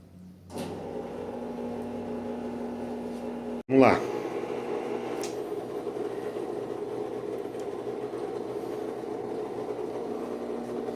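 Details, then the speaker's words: Brastemp washing machine that made a rubbing noise, after the belt is tightened: the motor starts and settles into a smooth, steady hum with no rubbing or scraping. "ó lá pessoal era só um aperto na Correia acabou o problema"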